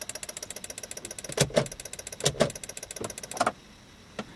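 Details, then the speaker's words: Jeep Grand Cherokee 5.9L: turning the key gives fast steady clicking, about a dozen a second, with no cranking. The car had headlight flicker, power surges and total shutdowns; fuses are good and the neutral safety switch is ruled out. Cause unknown. "Attempting to turn the key to turn on the engine, nothing happens."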